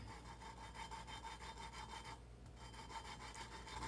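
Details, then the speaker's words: Mitsubishi Eclipse engine head valve job: lapping a valve with grinding compound by hand, gritty rhythmic rasping about four strokes a second as the valve still cuts its seat; the grinding stops once it is seated. "so you hear the peach it changes then we go up down and do it again when when you can't hear the grinding noise anymore I think we are kind of done"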